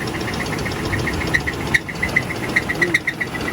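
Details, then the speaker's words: 2001 Oldsmobile Bravada bought at auction, oil full with oil pressure but smoking and burning oil: sharp uneven knocks two or three a second over a rough idle, plus a squeak feared to be metal on metal; suspected bottom-end knock, engine feared about to lock up. "I think that thing's about to lock up. Yep. It sounds like it's not happy in the bottom end."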